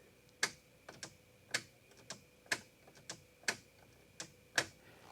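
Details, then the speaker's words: Car turn-signal flasher relay with no lamp load connected, after a body shop hacked the wiring: sharp, dry clicks, a loud tick about once a second with a softer one between, i.e. hyperflash. "and this one, this one's all kinds of pissed off cuz I don't have anything hooked up to it."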